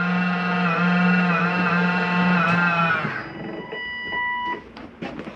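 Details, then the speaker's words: Jayco Eagle 28.5RSTS slide-out reaching the end of its retract travel: a steady electric motor hum for about three seconds, then it cuts off. The mechanism stopping itself, not grinding; normal. "That is not anything grinding. That is the slide mechanism telling itself not to come in any further. It's okay to hear for just a second."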